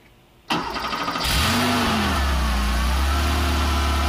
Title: 1985 Porsche Carrera 3.2 First Start (after rebuild)